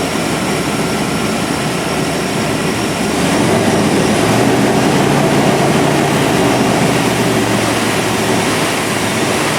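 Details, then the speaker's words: 1997 GMC 1500 5.7L Vortec V8 running after fuel pump replacement, then plugged fuel filter replaced to cure erratic fuel pressure: smooth, even low hum with only a faint remaining flutter; fuel delivery now healthy. "a lot better than it was well the fuel filter was definitely plugged got a little bit of flutter but i don't know that i'm going to worry about that too much"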